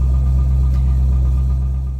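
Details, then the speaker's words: 2001 Corvette Z06 (C5), 146K miles, that had a no-crank, no-click fault, after ignition switch repair. It starts and settles into a smooth, steady low idle with no knocks, misses or squeals: normal idle. "So car is running. I'm gonna play with it a bit and make sure that it stays this way, but for right now, it looks like that was the culprit."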